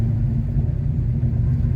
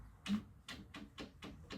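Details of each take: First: Formerly stuck 327 V8 swapped into a car, started easily hot: deep, even rumble holding steady with no knocks, misses or hunting; normal idle. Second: Chevy 307 V8 pulled from car for having no power, turned slowly by hand in garage; sharp uneven taps about twice a second with each jerk of rotation; owner suspects this caused the low power; jerking tap when turned by hand.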